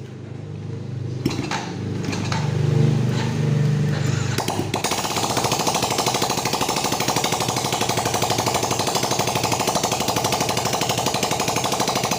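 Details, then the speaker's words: Yamaha Vega ZR that emitted white smoke from oil burning, after honing scored cylinder wall and piston, kick-started without exhaust to check smoke: loud, rapid, even popping about three firings a second from the open port; single runs smoothly. "ini kita starter tanpa menggunakan knalpot."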